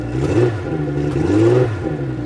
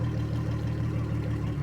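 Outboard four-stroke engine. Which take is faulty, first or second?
first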